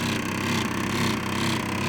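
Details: Unfamiliar HVAC unit, possibly German-made, before repair: loud, steady mechanical chatter with a slight pulsing about twice a second. Something inside is rattling, cause unknown; it sounded different after the work.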